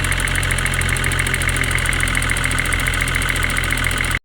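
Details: Mercedes-AMG GT43 at idle: fast even ticking three to four per second, misdiagnosed as timing chain; caused by faulty EVAP purge valve, fixed by replacing it, noise then normal.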